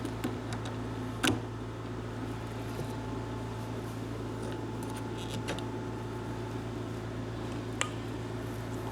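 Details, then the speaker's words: John Deere ProGator starter motor jumped on the bench after teardown and greasing, formerly noisy and sick-sounding: a low steady hum with no grinding, scraping or catching. Normal starter run. "sounds a lot better don't it nice cool"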